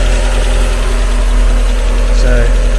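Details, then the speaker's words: Used Mazda MX5 viewed for purchase, just after start-up: smooth, settled idle with an even low hum and no ticking, knocking or wobble from the front pulley; a normal idle. "yeah I can see it's running through"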